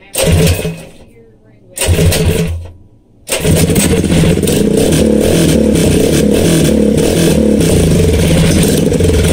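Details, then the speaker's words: Coleman CT100U minibike with a swapped-in 212 engine and a new exhaust header pipe, said to sound better than the old side pipe: a couple of pulls to start, then a loud, steady bark running evenly with no misses. Healthy. "oh yay and that's what that new little badass sound plate or sad pipe sounds like it's a [ __ ] beast sounds better than than this one man that the side pipe just was not doing it but this one's got a step upgrade"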